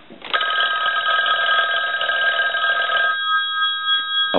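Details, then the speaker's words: Western Electric 500 rotary desk telephone with amplified handset, after repair with the ringer bells adjusted to their loudest limit: loud, bright bell ring for about three seconds; the ringer is strong and healthy. "but the bells have been adjusted uh to their limit so we'll go ahead and ring the telephone"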